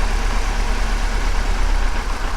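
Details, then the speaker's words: 2007 Chevrolet Silverado with check engine light, running rough at idle after swapping coils between cylinders: lumpy, uneven low rumble with irregular stumble; misfire moved from cylinder 3 to cylinder 1, confirming failing ignition coil. "oh the problem moved all right all right well there's our problem now so it moved from there to number one"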